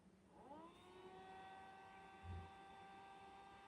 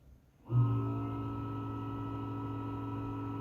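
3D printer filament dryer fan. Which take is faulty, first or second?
second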